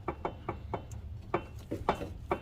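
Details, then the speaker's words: 2004 GMC Envoy, inline-6, 251K miles, front jacked up with the wheel in the air and the old CV axle fitted: sharp, uneven hollow clunks about every quarter second as the axle is wiggled, from excessive ring-and-pinion backlash in the front differential. "There's a lot of play on that ring gear. A lot of play on that ring gear going to the pinion. The pinion and ring gear, they should have like a really snug fit."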